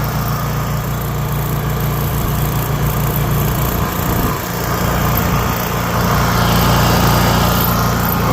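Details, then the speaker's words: Honda EU3000iS inverter generator just fitted with a replacement carburetor (old one gunked, stalling), starting with choke pulled on: steady even drone rising slightly, smooth, no surging; normal running. "So, that's pulled on position for a start. Looks like it's running good."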